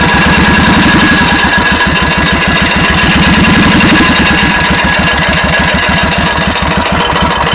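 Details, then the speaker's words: 1991 Suzuki VS1400 Intruder V-twin of unknown mileage, heard more on one side: fast metallic hammer-like tapping over the idle that speeds up as revs rise; cause unknown, engine knock. "mais de l'autre côté on entend très bien une espèce de bruit métallique, comme si on tapait au marteau, et au fur et à mesure de la montée en régime, le bruit accélère."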